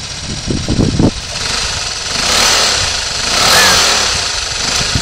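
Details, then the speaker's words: Suzuki Burgman 125 (AN125, 2007-2009) engine on test, 15 kg compression, variator and clutch removed: steady, even busy patter with a light blip, no white smoke; normal idle, healthy top and bottom end. "el motor se ve que suena bien de vuelta funciona correctamente"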